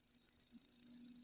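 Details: CRT television, supply voltage OK: faint quick regular ticking over a steady low hum and high whine from the powered set; repairer suspects the HD section.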